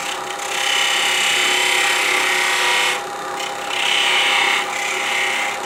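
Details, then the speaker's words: Sapele bell ornament spindle on a wood lathe, thin section supported by tailstock with cotton pad: even, steady scraping of gouge with short breaks, no chatter or buzz; stable cut. "That will support that and that'll solve that problem. I'll make it a lot more stable."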